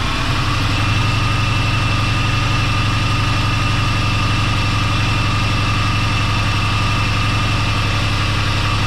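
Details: 2010 Dodge Grand Caravan 3.8 V6 with multiple-cylinder misfire codes, idling with a steady low lope, about four uneven beats a second, as cylinders 3 and 6 stay dead after new front plugs, wires and a coil; PCM fault suspected.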